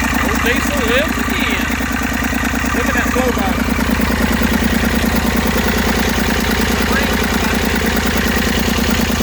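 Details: Massey Ferguson 35 three-cylinder diesel, sat in woods 20+ years with engine frozen from water, first run after freeing it: steady, even idle chug with no misses or knocks; fuel leak noted, burning off oil, running smoothly.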